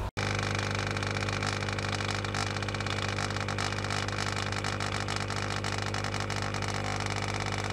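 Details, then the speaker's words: New linear air pump for a fish room central air system, with a release valve to ease back pressure: steady low hum with even buzz, no surging, rattling or knocking; plenty of power and quieter than before, running healthy. "but yeah plenty of power not as much noise very happy chappy let's see how low that is actually"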